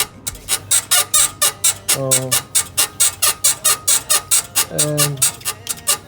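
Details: BMW E53 X5 rocked by hand to find a suspension squeak: rhythmic thumping with two drawn-out creaky squeaks, traced to a worn right rear upper control arm (swing arm) bushing, then replaced.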